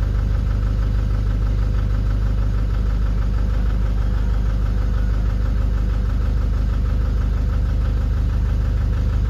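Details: Nissan Urvan Estate E25 with ZD30 diesel, at idle: rough lumpy idle with a regular knock about three times a second, a misfire; it smokes and vibrates under gentle throttle, with no check engine light or fault codes.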